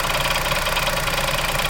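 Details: New Chevrolet Onix Plus LT manual, parked two days, idling while the brake pedal is pressed: steady idle with a fast, even light tapping over the engine note; something like a cover knocking, source not pinned down, cause suspected, not confirmed.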